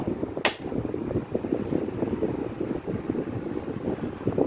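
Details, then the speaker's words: SAC HS 16-inch oscillating desk fan running: steady powerful fan hum with light uneven rattling ticks underneath; likely dry, to be lubricated, cause not pinned down. "There's also a bit of rattling underneath as well, but that's fine. I just will give it some lubricant at some point."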